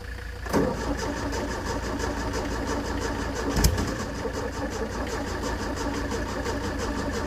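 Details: 1970s Layton roller compactor, Ford Taunus 60-degree V4, fuel pump switched on, good battery: starter turns the engine at a steady rhythmic churn but it never fires; crank no start, cause unconfirmed, fuel delivery first suspected.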